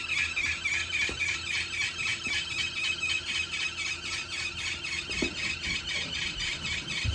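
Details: 2021 Wahoo Kickr trainer spinning: a high-pitched squeal pulsing about four times a second over a quiet room; source unknown.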